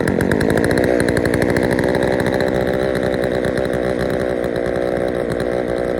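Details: Poulan 3000 chainsaw after service (fresh fuel, air filter cleaned), previously reported not starting: steady even high rev, clean buzzy drone with no stumbling or surging; runs healthy.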